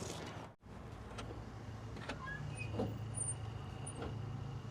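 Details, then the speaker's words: 1969 Chevy C10 wiper motor, worked out of the box: quiet steady hum with regular sweeps about once a second, parks correctly when off; only slight speed difference between two settings; normal wiper operation. "All right, turn them off. They go back down to where they should. Looks like we only have one speed, though."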